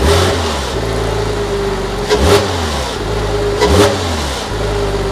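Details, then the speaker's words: Porsche Boxster 986, stock before aftermarket modifications and before the air-oil separator replacement: smooth idle with two quick, clean revs that rise and fall evenly, sounding healthy. "I'm going to go give you guys some revs so you can hear how this car sounds sof before we do any aftermarket modifications to it just for future references"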